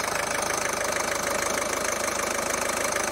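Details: Ford 1.5 TDCi diesel after repair of timing belt jump damage (broken rocker arms, bent valves, damaged camshaft, replaced belt); even, steady diesel clatter at a settled idle with no knocks or misses: normal idle after repair.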